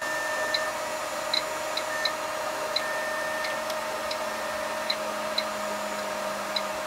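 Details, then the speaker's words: Keithley 150B microvolt ammeter running on a battery supply lowered to 5 volts: a faint, uneven mechanical chopper ticking over a hum. The chopper sound changes from how it ran at 6 volts, and the meter quits near 4 volts. "if you want to hold this tunnels on the chopper is changing you can hear the chopper changing that's five volts"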